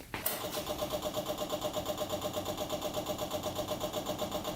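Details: Custom pulling tractor with a swapped 500cc Honda motorcycle engine, long sat, first start: after starting it settles into a lumpy, uneven beat near three a second; rough running, rust and water found in the fuel.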